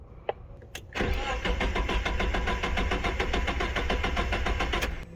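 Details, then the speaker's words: 2000 Mazda Miata MX-5 that shut off while coasting downhill: starter cranks steadily at about 3–4 turns per second with key on and the engine never catches; crank-no-start with no fuel delivery. "so these are the symptoms it's going to be a crank no start key in car on so basically what happened is coming down a hill car just shut off was able to coast it into a gas station and that's where we're at"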